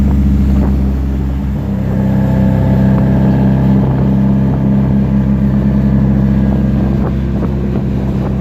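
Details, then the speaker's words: Mazdaspeed 3 filmed close from outside while driving: faint metallic rattle over the low drone, heard only on throttle and gone when off throttle; source not found; metallic noise under throttle. "and I could hear that metallic noise when he was getting on the throttle, but it was only whenever he was on throttle I could hear it. Whenever he let go, the noise went away,"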